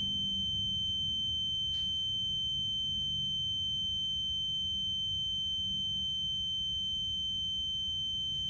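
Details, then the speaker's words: EZGO Express S4 golf cart OEM reverse alarm speaker, taped over, tested on a sound meter against 38–40 dB ambient. A piercing, steady high-pitched tone over a faint low hum settles around 63 dB, loud at night; normal reverse alarm. "looks like 63 is where it's going to balance out at that's pretty loud especially late at night"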